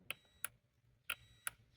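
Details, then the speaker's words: Igloo countertop ice maker with the back panel off, sensor switches checked after pump cleaning: a few sharp, clean clicks with a faint continuity-tester beep in a quiet room. The switches actuate properly and test good. "you hear a click. You can hear it beep. So, those are good."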